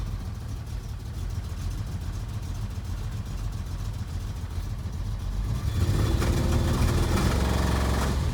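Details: SM EFI engine misfiring and unable to rev above about 300 rpm: rough, lumpy low-pitched run with uneven beat near 220 per minute, getting louder but never rising in pitch.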